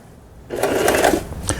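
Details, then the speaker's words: Elna 318 sewing machine after repair of its pattern/zigzag mechanism unit, sewing overlock pattern stitch: quick even stitching whir from the needle drive with a light rattle and shaking from the plastic body; sews smoothly with no catching. "다음에 이제 4를 넘어서 박음질을 하거든요. SS죠. 특수 기능인데 요거는 이제 오버록 바느질이 되겠습니다."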